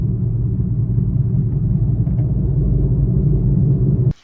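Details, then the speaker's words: Saturn Vue on a test drive at about 25 mph: a loud, low "wah-wah" droning growl over the road rumble, steady with speed. Worn wheel bearing, most likely at the front. "So now you can hear that wah wah wah wah. It's really loud, really bad. And here it is again at about 25 miles an hour."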